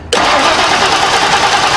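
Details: 1990 Lincoln Town Car, fuel pump replaced a few months earlier, back with no-start: starter spins the engine steadily with no catch or firing; spark is confirmed good and there is no fuel pressure.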